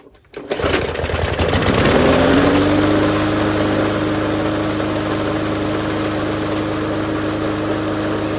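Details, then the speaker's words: MTD push mower with a small engine catches, revs up and settles to a steady drone with heavy rattling, shaking and vibration. Cause suspected: bent or off-balance blade, not confirmed. "So, you hear it rattling a lot. You hear it uh bouncing around, shaking. My hand starts to tingle after just, you know, a few seconds."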